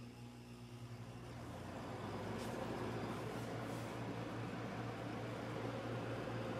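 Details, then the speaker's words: 240 V wall air conditioner on an uninsulated enclosed porch, started in cooling mode: low steady hum with fan rush building over a few seconds, then holding even; cooling properly. "It's already getting cold. This is a 240 volt unit. Yeah, that thing works great."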